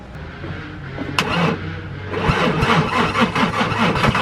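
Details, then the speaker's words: VW VR6 that won't stay running, after coolant pipe gasket repair: slow uneven cranking with stumbling half-catches that never pick up; fires right up without the intake plugged in, but with it connected gets massive hesitation; battery fading. "but then once that's in there it creates this this massive hesitation"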